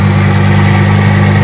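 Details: Ford Focus ST 225 Mk2 after installing a Focus RS vacuum pipe, checked for leaks, no warning lights afterward. Short stretch of steady, deep, even idle with no hissing or hunting: normal idle.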